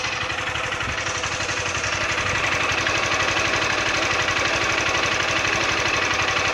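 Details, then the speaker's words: Honda Titan 160 motorcycle at 5,000 km, valve adjustment due at 6,000 km: fast, sharp metallic ticking about four per second over the idle; owner suspects loud valve tappet noise, others say it is normal. "Barulho no motor da moto. Estranho. Barulho de válvula muito alto."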